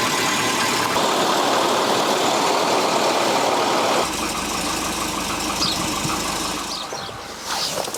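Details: Volvo 740 quick run-up just after fitting a new engine temperature sensor, sensors dried: engine fires up and settles into a steady, even idle without knocks or stumbles; normal idle.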